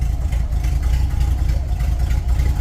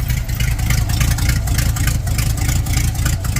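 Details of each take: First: 1930 Ford Model A with a 283 small-block Chevy and Borg-Warner T10, parked since 1973: low, steady, even idle with no knocks or misses, quiet apart from an exhaust leak. Engine in good shape. Normal idle. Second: 1930 Ford Model A with a 283 small-block Chevy and Borg T10, parked since 1973, running on old stock manifolds. A rough V8 rumble with ticking chuffs on each pulse; exhaust leak.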